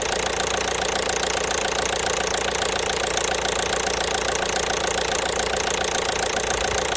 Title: Стук двигателя 1.5 BlueHDI (DV5RC)